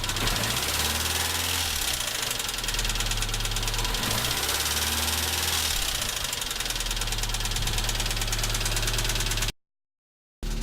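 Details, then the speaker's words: ZAZ Tavria MeMZ-245, about 800 km after rebuild with Avtramat pistons and 1.2 crank, choke partly off: sharp, fast metallic tapping that grows louder on throttle snap and release; suspected cylinder 4 piston pin knock. "Немножко убрал подсос, слышно четче именно звук стука. Пробуем дать газ и сбросить. Под сброс звук усиливается."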